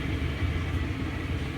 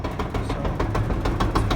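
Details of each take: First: LG gas dryer model DLG2526 after repair of the drum support wheels: smooth low drum rumble, steady and even, no scraping, squeal or thumping; running normally. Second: LG gas dryer DLG2526 running: rough rhythmic thumping rumble several times a second; drum looks fine, so a worn drum support roller is blamed.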